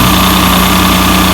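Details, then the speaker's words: Ford Probe GT idling with a constant airy hiss over an otherwise steady, even engine note; owner suspects a vacuum leak, with valve cover gaskets still due; the sucking sound is less than before, cause unconfirmed. "so what i'm thinking is that i might have a vacuum leak"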